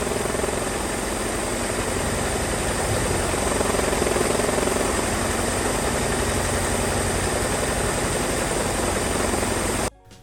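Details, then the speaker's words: 1978 Ford Mustang 2.3 four-cylinder with a new aluminum radiator, running for the first time in decades. It has an uneven, lumpy, shaky idle that then shuts off, caused by the disconnected brake booster vacuum hose creating a major vacuum leak. "I didn't notice until maybe a couple minutes later because it was kind of running rough and I was wondering why, and I had a major vacuum leak there with the hose in the back just sucking away"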